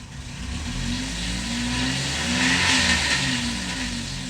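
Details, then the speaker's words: Chevy Malibu (thought to be 2006) with P0016/P0017 codes: petrol engine revs under throttle with a slightly rough note while scan data shows cam angle never changing; cam phasers not commanded, solenoids atop the engine suspected next. "since i don't see the cam angle changing as i hit the accelerator pedal i mean not even a single blip out of it"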